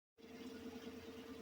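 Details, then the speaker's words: 2014 Chevy Silverado 4.3 V6 that had P0300 and a cylinder 2 misfire, after replacing the fuel injectors: smooth, even, quiet idle with a steady low hum and no shake, miss or ticking; normal idle. "All right, so I went ahead and you can see it's running pretty good now. It's not shaking anymore. It's not making any noise."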